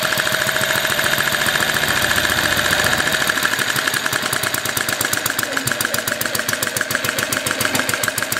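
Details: Vertical single-cylinder overhead-valve four-stroke (7/8" bore, 1" stroke) on Coleman fuel runs fast and crisp with an even rapid popping beat, light bulb unscrewed so its DC-motor generator carries no load; steady, normal high-speed running.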